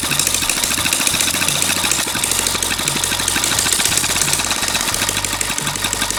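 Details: Long-unused small single-cylinder water-pump engine, hard to start, finally started: quick, steady popping at an even idle with no misses or knocks; running normally.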